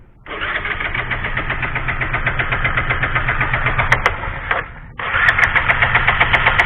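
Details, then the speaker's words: Bajaj Pulsar 135 with lost ignition; fuel and ignition coil checked good, CDI/regulator next to check. Steady starter churn at about four compressions a second, a pause, more cranking, never catches. Cranks, no start; cause suspected, not confirmed. "Hai jadi bisa-bisa motor Anda seperti ini enggak bisa hidup tadi juga dicek udah koil dari motor sekuter ini tetep kondisi bagus lancar baik aja"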